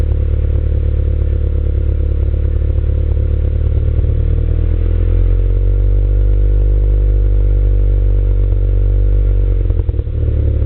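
Deep, lumpy running with an uneven stumble in the beat and a slight dip near the end; sounds like a cylinder dropping out intermittently.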